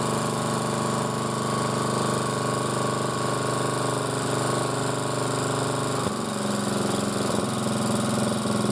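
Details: Motor-cultivator that knocked and stalled in autumn after hard use and started poorly, running after valves checked (intake upper 0.20, exhaust lower 0.15 clearance); gearbox turning; single cylinder steady at fast even beat, no top-end ticking or knock; normal running.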